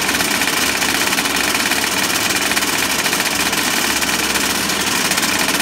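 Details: Small RC two-stroke engine, fired up after being flooded with 3-in-1 oil: a high, fast buzzing note held steady without stumbling or cutting out. It is running cleanly now.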